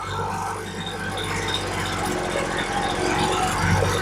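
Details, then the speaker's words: Poulan Pro leaf blower, small two-stroke, running after fuel line replacement; idle adjusted via low idle screw nearest the block, engine winding down as screw turned; steady, even idle without surging or dying, low-speed mixture about right. "Now, if you listen, you'll hear it change as I turn it. I'm not going to turn it much, just a little bit. I hear it winding down."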